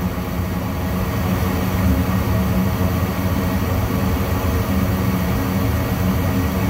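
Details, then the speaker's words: Furnace after cleaning a dirty flame sensor that caused flame to light then go out: continuous even burner roar, flame staying lit with no cutting out; sensor now detecting flame, normal operation. "you can see now the fire is staying on so the furnace is sensing that the fire is running now"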